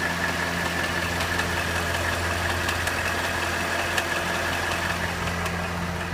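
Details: Cadillac Northstar 4.6 V8 at hot idle: steady run with faint fast ticking about two or three per second, intermittent and only when hot; source unclear.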